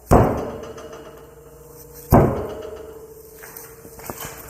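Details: Wildcat 700 UTV at 1654 hours, first service, wheel rocked on a lift: two hard clunks about two seconds apart, each followed by a ringing spring as the rim contacts the spring; badly worn rear wheel bearing play.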